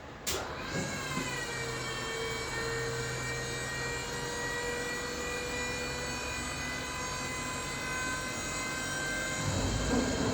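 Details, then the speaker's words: 2012 2500 HD extended cab converted to dump flatbed: steady electric hydraulic pump whine turns rough and gurgly near end of lift because the reservoir holds too little fluid to fill the cylinder; fix planned with piggyback reservoir. "Now you hear that gurgling. That's because the reservoir is not holding enough fluid to fill the cylinder."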